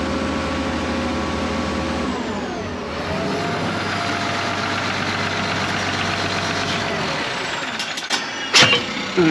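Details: 1965 Allis Chalmers TL645 wheel loader with Allis Chalmers 3500 turbo six-cylinder diesel, first start after 10+ years, following fuel system cleaning and Stanadyne injection pump reinstall. It settles into a steady, smooth, even run: normal running.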